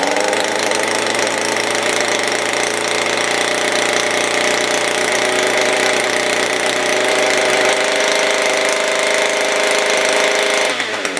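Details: SRM-210 small two-stroke trimmer after carburetor kit and new spark plug, primed with oil down the cylinder: steady high buzzing run with even pitch for about ten seconds before cutting off; runs cleanly.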